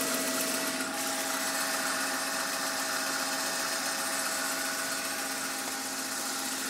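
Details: BMW M52 engine at idle: even idle with a thin, fairly regular ticking and a faint steady tone on top; strange noise, cause not clear.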